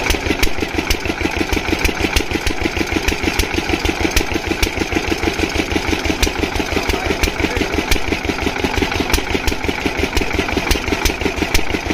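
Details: Single-cylinder diesel water-pump engine, after fixing the no-start caused by fuel not reaching the pump, thumps steadily at a constant beat with no misses or knocks; running smooth and perfectly.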